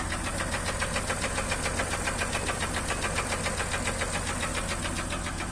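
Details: Acura MDX engine: a sharp, steady ticking knock at about three and a half per second, clearly above the idle; a pronounced internal engine knock.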